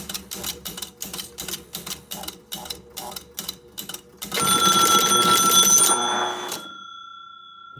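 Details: Gottlieb North Star pinball machine that would not reset, powered up: fast steady relay clicking at about four a second, then a loud ringing bell burst that cuts off abruptly, and a fuse is thought to have blown. Startup relay clatter and bell burst, short suspected.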